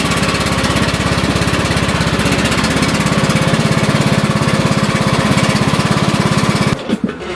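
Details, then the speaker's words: John Deere riding mower after a drive-belt replacement, tested driving forward and backward with the deck removed: steady single-cylinder thumping at an even rate, no belt squeal or labouring, then shut-off; drives properly. "Okay, she's good. It's driving properly."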